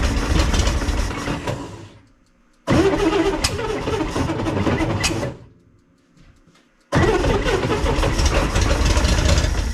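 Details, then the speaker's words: 1965 Corvair stored all winter, two carburetors, first start attempt: starter cranks in three long bursts with an uneven churning beat but never catches; flooding with too much gas, owner suspects a loose or failing starter. "got might need to order a new starter that's a lot of gas definitely doesn't like that gas really floods it out"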